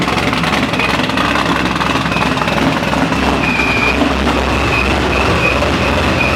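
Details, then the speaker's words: 441 LSX C6 Z06 with F-1X ProCharger, ARH 2" headers, off-road X-pipe and straight-pipe axle-back, first start-up: loud steady V8 idle with a hard raw exhaust bark and faint supercharger whine, running evenly, nothing knocking. "That was obnoxiously loud. I saw the engine light came on."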